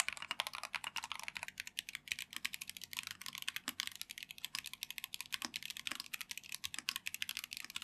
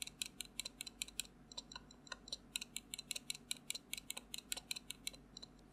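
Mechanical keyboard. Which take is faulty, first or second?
second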